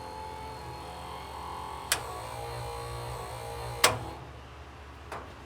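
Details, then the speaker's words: 1946 Ford Convertible being brought back to running, no radiator fitted yet: steady low electric hum from behind the dash with a few sharp clicks; wiper motor and switch working normally. "but i got my wipers can hear it in there"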